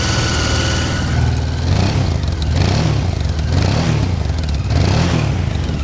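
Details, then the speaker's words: 1992 Honda XRV750 Africa Twin V-twin, just under 20,000 km, recently serviced, original silencer, started about 5 minutes earlier and not fully warm: a low, steady, even idle with a tweeting exhaust note in gusty wind, no misses or knocks. Normal idle. "Reminds me of a Gold Star, got that tweeting exhaust note. Don't know if any other bikes have that, but this one seems to."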